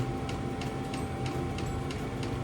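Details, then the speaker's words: New diesel air heater fitted in a VW T25 Westfalia, exhaust with no silencer: steady fan hum with a crisp tick about three times a second from the dosing pump. Running normally and quietly. "I don't know if you can hear that, but that's running. That's got no silencer on it, that exhaust. And it's extremely quiet."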